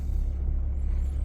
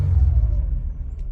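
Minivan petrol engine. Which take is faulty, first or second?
first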